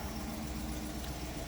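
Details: 2014 Jeep Grand Cherokee, which had a click but no crank, now starting after reseating the starter's plug-in wire connector, suspected rusty from moisture: a steady, even low V8 idle with no stumbles or knocks, a normal idle.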